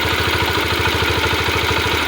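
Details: Yamaha Factor single-cylinder at hot idle: quick, even top-end ticking that appears only when the engine is warm, never cold. Excessive valve clearance is suspected; the owner plans to tighten the valve clearance.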